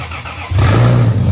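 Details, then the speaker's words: Lexus IS300 with rebuilt turbo engine, first start after a year: cranks, catches cleanly in half a second and holds a steady, even, loud run with no knocks; oil pressure present. "Well, you got oil pressure. It runs. That was a huge success right there, dude."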